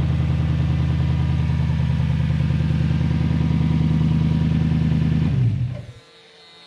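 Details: Old Lexus LS430 V8 test car with the exhaust cut off before the silencers: a deep, loud, steady, unmuffled idle rumble until shutoff; the AVS flap did not move, so it isn't working.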